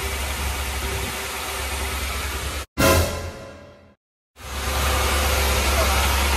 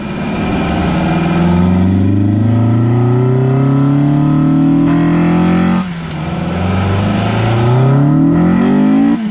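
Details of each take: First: Honda Integra after LS-VTEC conversion, first start right after uploading the tune, in neutral with clutch in: loud, unsettled idle that cuts out briefly and picks back up, caused by a massive vacuum leak through a gap at the back of the throttle body. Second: Honda Integra with completed LS-VTEC conversion on its first drive after reinstalling the power steering pump and belt: revs climb steadily and sharpen with clean gear shifts; VTEC engages fine and pulls hard despite concern over the solenoid being wired to an auto harness shift solenoid.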